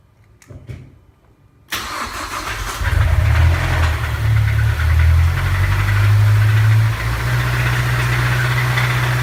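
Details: Mazdaspeed 3 engine cranks, catches and settles into lumpy idle with faint rhythmic knock; taken apart and found a broken rod bearing.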